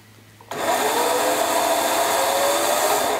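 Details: Motorcycle starter motor run on the bench from a 750 cc engine, negative ground: crisp start, then an even high whir for about three seconds that stops cleanly; a healthy starter spinning freely.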